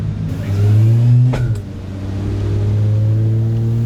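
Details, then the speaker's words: VL Commodore with 2JZ swap, turbo on stock non-turbo bottom end, on dyno: hard revs then a sharp metallic clack as the diff moves under deceleration; tailshaft uni joint touching already cut-down bolt heads, sounds bad but harmless. "the tail shop is not enough clearance for the bots we've already got cut down bolt heads in there but as you're de sel on the diff moves to a certain location that just touches it sounds bad but it's not"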